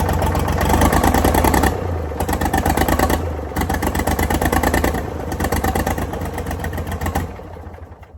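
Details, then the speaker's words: Previously seized Ford 4000 diesel tractor on starting fluid chugs unevenly with a loose knock about three times a second, surging and fading, can't run alone; owner suspects throttle and air, possible diesel leak. "Okay. So, that's definitely not running on a start for that extended period of time. And it's got to do with throttle and air. And I think I might have another problem. So, I'm not hugely worried about the knocky knocky noise yet."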